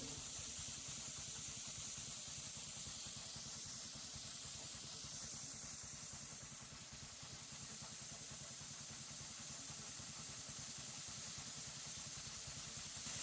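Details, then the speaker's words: New gas-powered MaxAir air compressor idling after unloading at 150 PSI while air is bled from the tank to make it kick back on: steady loud hiss over the small engine idling; normal air release. "So now I'm just going to go ahead and let the air out and see when it kicks back on."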